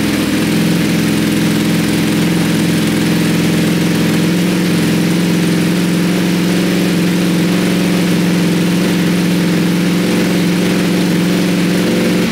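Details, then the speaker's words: Wrecked 2020 Ducati Panigale V4S at first start after fuel priming, smoking from oil and fuel on the engine after an earlier backfire-like noise: smooth, even idle with a steady deep exhaust note; the engine runs fine. "it actually sounds okay"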